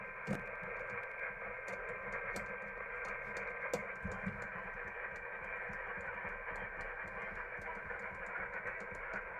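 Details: uBitx transceiver with Nextion touch screen running CEC firmware, on 40 meters: faint music and talk through steady hiss with scattered crackles; receiver indiscriminately picks up the AM broadcast band from nearby high-powered AM stations.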